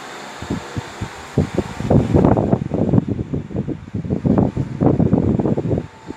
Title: fan in the kitchen is making noise